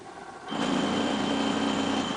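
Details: Sew Clever robotic quilting machine carriage moving with needle disengaged: motor whine with rough buzzing rattle, vibrating so stitching goes squiggly after Stitch Regulator Not Found error; jagged travel on its track found.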